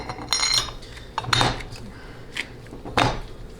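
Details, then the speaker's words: 2005 4L65E transmission rebuild with Transgo HD2 shift kit: a few sharp metallic clunks in a quiet room as the torque converter drops onto the pump splines; normal torque converter seating clunks. "okay so if you're installing the converter onto the pump you'll hear um usually two distinct clunks just like that and then just simply rotate the tool make sure that the rotor itself rotating"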